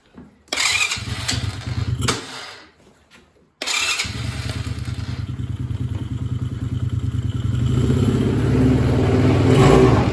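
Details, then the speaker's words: 2020 Coleman UT125 (Scrambler 125) quad that sat unrun for eight months, oil put in the cylinder: after a couple of brief catches it settles into an even putter that firms up with throttle; it runs fine but smokes from the oil. "hey sounds pretty nice so it's smoking excessively because i put a little bit of oil in the cylinder to try and either improve compression or save the cylinder in case it was dry from sitting for so long"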